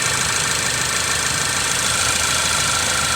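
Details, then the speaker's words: Ford Focus, about 2016, with check engine light, shaking and a cylinder 1 misfire: uneven, stumbling idle under a hissy engine bay; no spark on cylinder 1, and swapping coils confirmed a bad ignition coil. "you can see the check engine light is on and i could feel the car shaking we have a cylinder one misfire"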